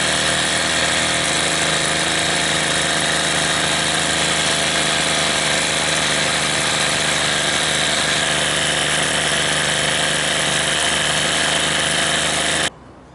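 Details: Troy-Bilt TB32 EC weed trimmer two-stroke after fitting a new carburettor, with the idle and hi/lo screws each set a quarter turn out: steady, high-pitched buzz at an even speed, no surging or bogging; running cleanly.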